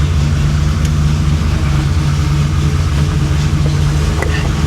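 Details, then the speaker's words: 1966 Chevrolet Impala V8, salt-water flood car rebuilt, idling down to about 1,000 rpm: deep, steady burble with no misses, knocks or hunting; sounds healthy and settled. "She sounds good. >> Yeah, it does. >> She sounds happier."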